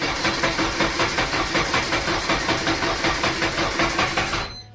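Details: Honda K24A2-swapped Fiero GT on first start attempt with old gas: steady starter cranking near three pulses a second that never fires before stopping; no spark or injection because the cam and crank (TDC) sensors are unplugged.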